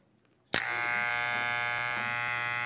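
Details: Hair clipper running with a loud, harsh buzz and strong rattle caused by loose, wobbling blade parts; fix is tightening (pressing) the loose part so it no longer wobbles.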